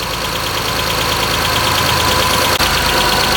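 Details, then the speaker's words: Mitsubishi Eclipse 6G75 V6, cold start after rebuild with new timing belt, lash adjusters, coil packs, plugs, injectors, throttle body and intake O-ring fixing a vacuum leak: steady idle, light regular valvetrain tapping, no hiss; owner thinks it normal. "although this tapping sounds i hope that normal not too familiar with this engine and newer engines for that matter but i think that's normal"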